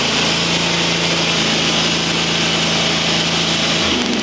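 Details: Used riding mower, bigger-horsepower engine rebuilt after two blown head gaskets, upgraded gaskets fitted, not yet warmed up: steady even drone, no knocks or misses, speed dropping slightly near the end; healthy cold run.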